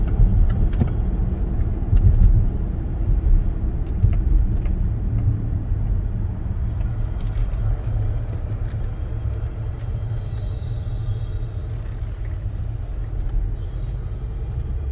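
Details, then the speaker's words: Range Rover L405 Supercharged, sharp low-speed turn into a parking lot: a deep, uneven grinding squeal from the front end, forward only, louder with more steering, absent in reverse. Mechanic suspects the electric steering rack; unconfirmed. "I want y'all to hear the loud grind now when you're making a short turn and it only happens going forward you don't hear it when the vehicle limb is not moving"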